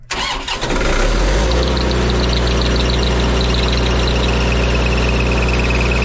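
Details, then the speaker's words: Auction-bought diesel welder that fell from a crane, started after shimming and tightening the isolator mounts: cranks and catches, then a high steady squeal rides over the even idle; drive belt is quite loose and worn, to be tightened. "well I have no intention of keeping this unit but it does have the proper belt squeal all right the belt is pretty darn loose here as well as got some wear to it but it'll be fine for a while tighten it up get rid of that squeal"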